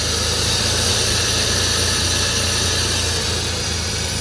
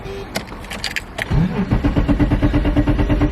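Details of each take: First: Abandoned E34 BMW 535i, M30 engine, sat 12 years: smooth, quiet idle with a steady low rumble and hiss, no tapping or misfire, then abruptly cut; a little smoky but running very well. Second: Abandoned BMW E34 535i, first start attempt after sitting 12 years with a fresh battery: starter clicks then cranks steadily about three turns a second but never catches; suspected no fuel delivery, crank no start.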